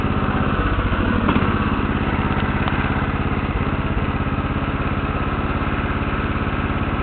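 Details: Lawn tractor started for the second time after sitting about six years: steady, even single-cylinder putter with constant beat, no misses or knocks; owner notes an uneven starter; normal running.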